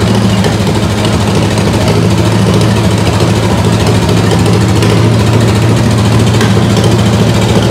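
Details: Ford 8BA flathead V8 (1949–53), bought painted off Marketplace, with a suspected fuel pump diaphragm/top-cap leak: loud, steady V8 rumble idling well above normal; carburetor suspected.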